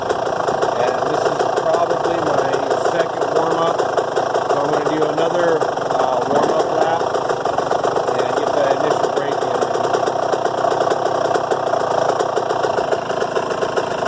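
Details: Yamaha YZ125 two-stroke after no-start fix (carburetor serviced, float and air-fuel mixture screw adjusted); fast, even crackle holding steady without stumbling or misfire; normal running.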